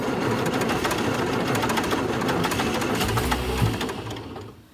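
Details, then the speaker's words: 1962 Austin Healey 3000 BT7, engine rebuilt after mouse damage, rebuilt head and carburetors, choke out, cold shop: steady cranking about three turns a second, one brief stronger thump, no catching; owner suspects carburetors far out of adjustment and the cold — crank, no start. "all right i'm not getting anything at all the carburetors might be so far off and it's pretty cold in here today"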